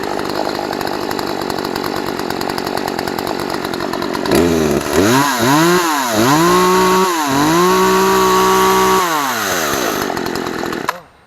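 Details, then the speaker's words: Poulan P3314 14-inch chainsaw, unused for years, previously no-start (likely primer bulb not pushed enough): steady high buzz, then clean revs climbing and falling repeatedly under throttle before shutting off; running healthy. "but it seems to be running good. As you see, it cut those little sticks, no problem."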